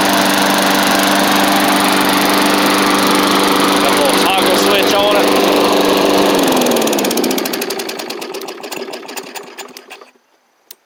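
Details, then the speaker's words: Bolens push mower, Briggs & Stratton Classic engine after repairs including carb kit: steady even drone about seven seconds, then winds down cleanly at shutoff; runs healthy. "and so I'll let it run for a little bit just to make sure it's all good but man it's she's cruising along"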